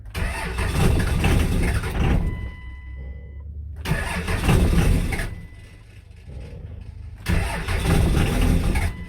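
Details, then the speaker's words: 5.9L 24-valve Cummins diesel, crank sensor ground wire fixed: cold engine catches with deep, lumpy bursts swelling and fading about four pulses a second, rolling coal. Cold diesel start. "There she goes, boys. Rolling coal."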